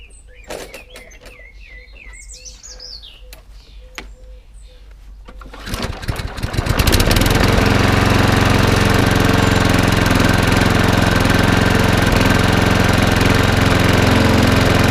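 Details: Old, smashed Husqvarna walk-behind lawnmower, started after a couple of primes. A quiet tick and a pull, then it catches and runs at a steady, even speed for about ten seconds before shutting off; normal running.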